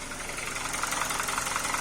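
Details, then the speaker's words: 2012 Hyundai Veloster gasoline engine at idle, with knock in two cylinders: light quick ticking over steady idle; lifters tap because the variable cam pulley has internal play, is scored and doesn't hold oil pressure. "ainda continua batendo tucho por causa disso aí e ela não tá bem fechadinha né mantendo a pressão"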